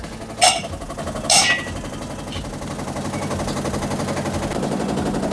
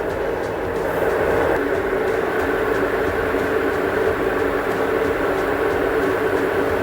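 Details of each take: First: Samsung top-load washer on spin cycle, drain pump working: two heavy bangs then fast rattling as spin builds; suspected broken drum hub, not dampers or suspension springs. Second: Now you can see only 4 minutes remaining. Still not making any abnormal noise. Now 100% sure it's not making any abnormal noise.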